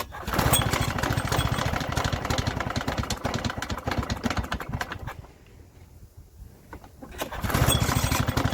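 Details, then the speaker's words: Victa Sunbeam mower from about the mid-1970s, seemingly never cleaned, with some fuel already in the tank: two-stroke engine catches and chugs unevenly, fades almost to stalling, then picks up but won't run steadily. Spark proved very healthy; owner suspects fuel. "A very healthy spark. Must be fuel. I dare say it's fuel."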